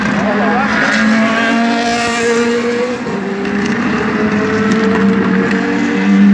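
Race V8 running at speed with a ragged, stumbling note and uneven pulses through the exhaust: a misfire.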